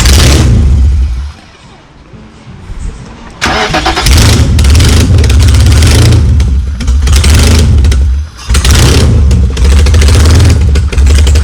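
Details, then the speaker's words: BMW E30 with engine swap, sat over a year, no exhaust fitted: engine cranks, catches and revs hard with a loud, raw, unmuffled bark; started right up, water pump leaking coolant. "yeah he's gonna start it right out right quick so yeah I could hear it doesn't have exhaust"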